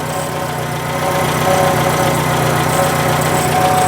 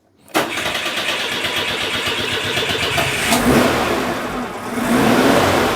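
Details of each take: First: Citroen at idle: rough puffing chuff on each firing stroke, blowy exhaust sound, traced with a stethoscope; exhaust leak at a loose clamp. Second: Citroen petrol engine after the exhaust was cleaned, sealed with exhaust paste and refitted: starts and settles into an even idle with a couple of light revs, no longer blowing; an odd rattle remains, possibly the alternator bearing.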